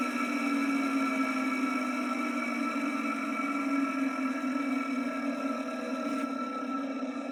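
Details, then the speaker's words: Vintage ILGJET 24-inch type Q air circulator fan motor, blade removed, on original dry worn 6203 bearings before replacement: steady rough whirring hum with faint gritty hiss, worse as it is switched off. "So here's another sound clip of the ILGJET motor, this time with the blade removed. You'll get to hear how bad these bearings sound."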